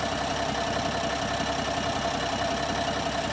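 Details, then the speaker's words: 2025 Ram 1500 Rebel twin-turbo inline-6, 2,500 miles, no check engine light, truck surging: idle shudders with an uneven low thump about two to three beats a second and a faint steady whine; a cylinder misfire. "she's literally misfiring solid and it has been this whole time"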